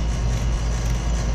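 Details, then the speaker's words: R410A air-conditioning compressor during pump-down: a heavy steady drone with a rough rattling edge, the sound of a refrigerant restriction in this unit; shut it off once the rattling starts to avoid damaging the compressor. "the compressor start gonna make a sound of restriction that noise never will rattle you'll hear that if you have a restricted unit"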